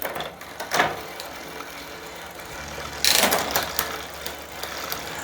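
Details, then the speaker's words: Retrospec Beaumont REV 350 W 7-speed e-bike during assembly, after rear derailleur low-limit screw adjustment: crisp single shifter clicks each followed by light chain tick; one click drops one gear each time, indexing cleanly. "all right once again one click drops it down one gear each time"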